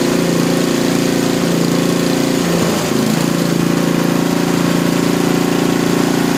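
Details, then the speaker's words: Small lab engine after mechanical governor dynamic adjustment, idle set near 2000 rpm: fast steady drone with one brief dip that recovers quickly; top no-load speed rechecked with vibration tachometer just above 3400 rpm, governor holding evenly. "we're just here above 3 400 rpm for our top no load speed after rechecking it"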